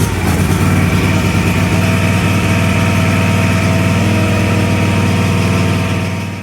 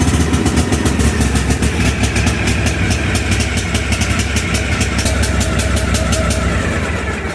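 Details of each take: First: Cub Cadet LTX 1142 KW mower, Kawasaki FR600V V-twin, warm restart at about 3/4 throttle with choke disengaged after stuck-choke rough running and black smoke: steady even idle, no hunting or stumbling; runs smoothly. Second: Cub Cadet LTX 1142 KW riding mower with Kawasaki FR600V engine: loud, lumpy, uneven running that never settles, with black smoke, after the choke is turned off, because the carburetor choke lever sticks engaged from dirt.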